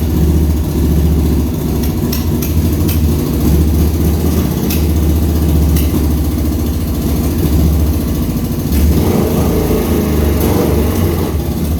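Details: 1200 cc motorcycle-engined dune buggy, first start after carburetors cleaned and fixed: steady low-pitched burble with even pulses and a brief rise in revs; the big twin runs cleanly at normal idle.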